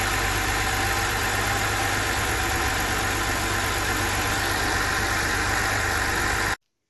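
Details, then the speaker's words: BMW 325i engine reassembled after a stiff, poorly lubricated camshaft let the VANOS cam rotate out of timing, Valvetronic refitted and set: smooth steady idle, even low rumble, no knocking or ticking; runs clean. "Teď ten motor je už složený, dal jsem tam Valvetronic, nastavil jsem to, nastartoval jsem to a funguje to. A má to hezký zvuk."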